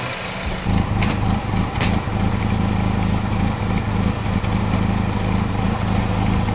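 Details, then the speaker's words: Ford Focus idling for about an hour with Prime sports drink poured in place of engine oil, smoking heavily and smelling fruity; lumpy, uneven cam-like beat at idle as it finally starts to misfire. "it kind of sounds cams like when you that mean when you put a cam in like a V8 and it sounds lumpy at idle oh yeah I think it's starting to misfire finally"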